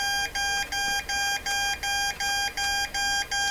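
A clear high beep pulses about two and a half times a second and keeps going through volume and reset; keyer fault, cause unknown.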